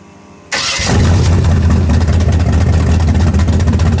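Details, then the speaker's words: Karla's Camaro V8 with mufflers, ignition timing just set: it cranks, catches at once and settles into a deep, steady, even idle rumble. A quick, clean, healthy start. "Alright, let's start it. pretty cool. Oh, it sounds so good."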